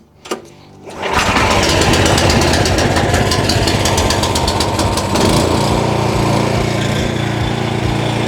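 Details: JCB petrol pressure washer, free unit being restored: first start on choke with fuel on and no high-pressure hose connected, to bleed water through. One pull, then it catches within a second and settles into a steady, even note with the pump working; starts and runs fine.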